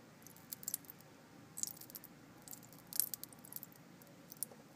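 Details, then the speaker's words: Motor oil sample from the bottom of a bucket dropped on a hot soldering iron: sharp irregular crackles and pops as it heats; sizzle test shows water in the oil. "now I'm going to put it on the on the soldering iron you can definitely hear sizzling in there not a lot because I don't have a big sample"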